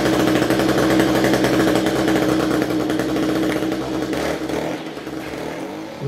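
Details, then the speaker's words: String trimmer (weed eater) with small two-stroke engine, after coil test and new spark plug, cold start on choke: buzzes unevenly, note wavering and stumbling; running rough, owner suspects carburetor needs cleaning. "this thing sounds like the carburetor needs cleaned on it"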